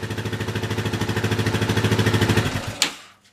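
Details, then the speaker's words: Yamaha 660 single-cylinder with new carb re-jetted to correct a lean condition, revving in neutral with tank not connected; quick choppy pulse about three beats a second with uneven popping, still a little poppy but no real black smoke. "Okay, well, I kind of like that. It's still a little poppy, but not too bad."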